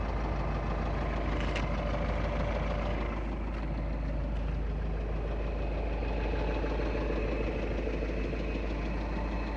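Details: 2.0 TDI common-rail diesel at idle: hard, somewhat uneven knock about three times a second over the clatter; worn connecting rod bearings.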